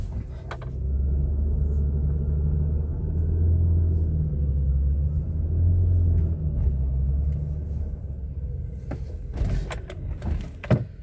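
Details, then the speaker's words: 2007 Toyota Highlander Hybrid driving: quiet at low speed, then a deep droning rumble from the engine bay swells when climbing a hill and fades as the pull eases; absent when revved parked; cause unknown. "So here is a low speed. I don't hear any sound. But I am about to climb a hill, and you notice the sound."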